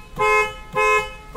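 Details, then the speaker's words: Mahindra XUV500 horn tested after refitting the steering-wheel horn and airbag sockets: three clear half-second blasts with a steady bright tone; horn working normally. "ये हमारा हर्न भी बज रहा है"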